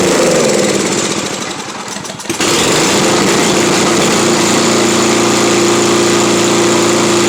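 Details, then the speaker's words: Simplicity 7524I snow blower with a Briggs & Stratton 7.5 hp engine, on fresh fuel and already hot. It runs briefly on prime, sagging and unsteady, then dies; owner suspects the bottom of the carburetor, with the primer bypassing a clogged jet. "nope it doesn't want to stay running it doesn't want to stay running"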